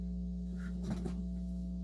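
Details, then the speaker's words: Technics SL-20 turntable after dead-motor repair and full service, playing with a Grado cartridge: a constant low mains-type hum on both channels with a brief handling rustle. Swapping to an Audio Technica cartridge leaves only slight hum. "a grotto cartridge that's humming there's a surprise we have sound on both channels we do so here's another thing I hate about gratt cartridges they hum boy did they hum"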